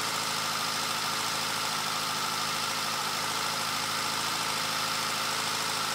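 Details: Caterham Super Seven carburetor engine after carb re-jetting (60 F11 to 45 F9, venturi downsized): steady, even idle with a smooth hiss-laden note, no misses or knocks; vibration much reduced and earlier backfires gone.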